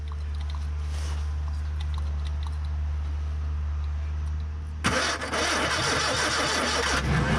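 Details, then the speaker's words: Barn-find Ford Corsair 2000E V4, sat for years, cranking with throttle open after points cleaned and spark confirmed at all four plugs: starter turns slowly, under three beats a second, and never catches; battery flat, to be fully recharged. "So at the moment in time we have failed to get it started, but we will not be defeated by a little V4. So we're back at about dinner time and we get a full battery charge and we'll try again."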